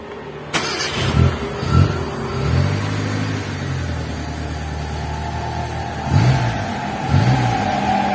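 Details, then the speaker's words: T120SS carburettor engine after fixing an oil-filled, leaking distributor seal: even idle with crisp throttle blips, no stutter or misfire; now running smoothly. "stasionernya sudah halus ya ketika kita cetok untuk posisi gasnya sudah tidak ada lagi brebet di mobil ini"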